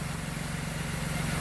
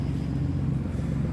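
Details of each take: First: Salvage Nissan Maxima rebuild, started after a broken part was noted and O2 sensor pending: steady, even low hum with smooth regular pulse, no misses or knocks; normal clean idle. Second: Copart-rebuilt Nissan Maxima, odometer 142.75 (thousand), crash bent exhaust, no check engine light, temperature normal: idle runs louder and coarser than normal, leak at the rear exhaust manifold awaiting replacement; exhaust manifold leak.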